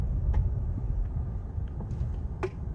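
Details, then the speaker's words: Car at low speed and braking gives sharp, isolated clicking ticks over low road rumble; found not to be a car fault but a loose object in the car, initially a golf ball suspected. "운전을 천천히 하거나 브레이크를 밟으면 클릭 소리가 난다."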